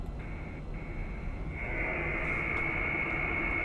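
Hiss in the receiver with a thin steady tone that jumps louder partway through, a switching supply birdie leaking in through poor shielding.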